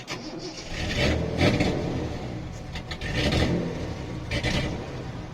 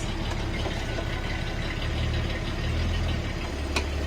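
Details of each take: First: 1973 Datsun 240Z series 2 with carburettors not yet tuned, running rich, dying on the road with air conditioning on; repeated cranking, catching and sagging; stall and hard restart. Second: 1973 Datsun 240Z Series 2 rebuild, not yet road-registered, carburettor tuning still unfinished (earlier ran rich and stalled), new twin-plate clutch and open exhaust: deep, steady burble at idle, even firing, no knocks or rattles; normal idle.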